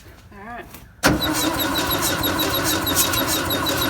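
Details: 1958 pressed-bumper VW panel bus, sitting 50 years (last plated 1968), being revived; starter just replaced. Steady starter churning with a faint irregular tick about three times a second, never catches: cranks but won't fire.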